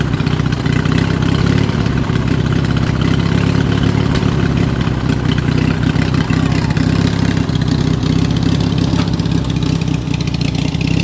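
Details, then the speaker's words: Yard Machine riding mower after clean-up, engine running strong and steady with no misses or knocks; owner says it runs like a beast, blades, forward and reverse all work. "Hell yeah, guys. This thing runs like an absolute beast. Sounds like she's got a chop in there."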